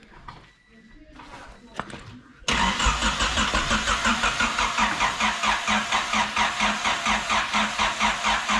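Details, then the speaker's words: Turbo Honda Civic with no intercooler and a dying battery: slow, labored starter cranking, about 86 pulses a minute, that never catches; cranks but won't start, battery judged too dead. "or not hold on we must be missing something did we unplug anything electrical hey no it's just too dead"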